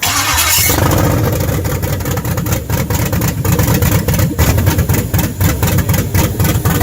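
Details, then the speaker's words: LS swap first test fire, rough wiring with fuel pump in bucket: starter whir, V8 catches at once and settles into steady lumpy idle, no knocks or ticks, 40 psi oil pressure; normal start and idle. "So this is basically my ignition key, and it should fire right up."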